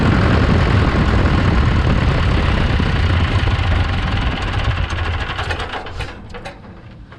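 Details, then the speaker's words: John Deere 480B forklift diesel after fuel system bleed; keeps clattering at an even idle beat after key off, then winds down once the injection pump wire is pulled: run-on, possibly excess pump pressure, cause not confirmed. "was interesting you turned the key off but it kept running so uh you see i grabbed this wire down here pulled it off of the injection pump so that it would quit"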